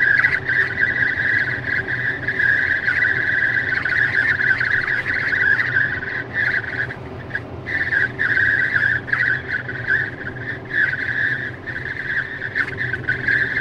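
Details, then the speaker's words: Tesla at 64–65 mph in the cabin: a steady high whistle over soft road rumble, dipping briefly now and then, air leaking past the passenger window seal. Intermittent for about 3 months, later fixed by service. "And I'm doing 65 miles an hour, 64 miles an hour, and that whistling is happening."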